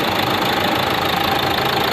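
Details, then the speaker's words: Renault Duster 110 PS diesel: steady idle with hard clattery "tak tak" injector knocking, worse on cold mornings with light white smoke; no check light, customer already fitted a new part but problem remains. "तो 110 injector काफी knocking तक तक sound करते हैं और हल्का white smoke देते हैं"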